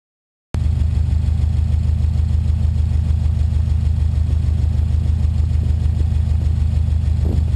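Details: 2008 Subaru STI idling: deep, steady idle with a low puffing pulse from under the car, an exhaust leak at the downpipe-to-catback junction; also noisy at the rear at wide-open throttle.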